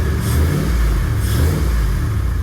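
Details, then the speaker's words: 1997 Chevy Tahoe LS swap after a mechanical fan conversion using the factory OBS fan shroud; the fan clears and doesn't wobble. Deep V8 rumble with a throttle blip, even with no knocks; sounds healthy, though owner says it smells rich. "No, it don't. It don't. So that's a good thing. It still sounds like a Chevy."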